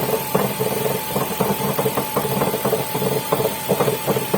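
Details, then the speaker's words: Ford at idle in the garage, echo: loose metallic rattle in uneven bursts several times a second over the engine; worn dual-mass flywheel rattle, gearbox to be removed for flywheel replacement. "После запуска двигателя стук станет слышен отчетливее, поскольку в гараже создается эхо, благодаря чему он становится более отчетливым."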